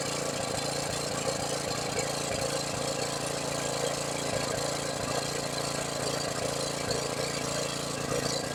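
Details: $100 used generator, long sitting, with a rebuilt carburetor and a fuel leak: small single-cylinder engine puttering at an even, steady speed without stumbling; it runs normally.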